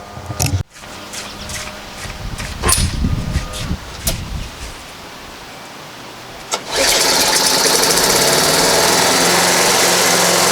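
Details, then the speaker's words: Free self-propelled lawn mower mowing short grass, front wheels torn up: after some clatter the engine settles into an even, steady drone while cutting, self-propel working well; normal running under load. "so all right well there you go most pretty well i don't know how well it's showing up on camera but uh yeah motor pretty well and the self propeller works pretty good"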